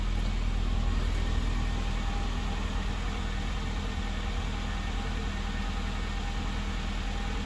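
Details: Classic Mini engine idling after revival from nearly two years of storage. Steady, even low idle with a smooth, unbroken beat and no knocks or misses: healthy normal idle.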